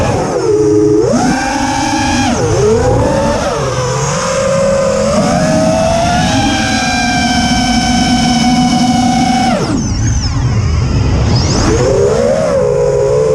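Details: Quadcopter in flight, TBS Bulletproof 25A ESCs (signal cap removed), DShot 600, Betaflight updated 2.9 to 3.1.0-RC5, P40 I20 D5. Motor pitch climbs and falls with throttle, with a rough buzzing edge over the whine; odd motor or ESC noise, cause unknown.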